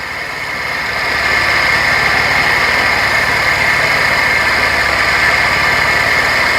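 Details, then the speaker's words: Mercedes 190E with a suspected blown head gasket, idling warm a few minutes after restart. A gritty, raspy whir from the water pump grinding rides over an even pulse; the thermostat has not opened, and the owner suspects a bad thermostat. "so the thermostat hadn't opened but again you can hear the water pump grinding away a little bit"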